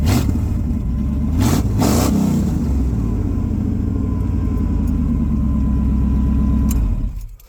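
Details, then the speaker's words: Truck V8 with new 2-inch high-flow catalytic converters fitted, X-pipe not yet finished, before new headers: a couple of throttle blips then a deep, even, rowdy burble settling to a steady idle; exhaust sounds clean and healthy. "so real quick, I'm going to show you guys how it sounds just with the new cats on there. It sounds good."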